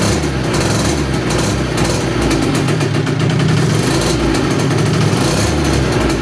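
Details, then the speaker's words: 2007 KTM 65SX two-stroke, first start after top-end rebuild with Vertex piston kit, reused gasket, on choke: crisp idling with throttle blips, revs rising and falling cleanly without misses or rattles; normal running. "well she started"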